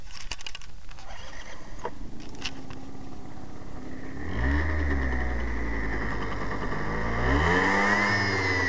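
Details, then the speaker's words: Zuma scooter just after fitting a new drive belt: engine catches about four seconds in and settles into a steady idle with a faint whir over it; unexplained whirring from the rear belt drive. "I don't know if you can hear this or not, but this is after I put the new drive belt on. It's making kind of an odd noise."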